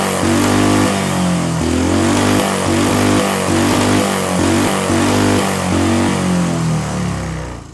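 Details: Small see-through single-cylinder turbo engine on newly adapted Amp-EFI and pump gasoline, lightly tuned: blips up and down about every second, each rev clean without stumble or miss; runs better than on carburetor.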